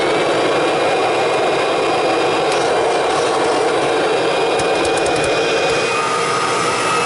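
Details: Kirby G4 vacuum switched on with bag fitted for a pre-service check before fan and brush roller tune-up; loud, even rushing hum with constant fan tone, no rattles or scraping: normal operation.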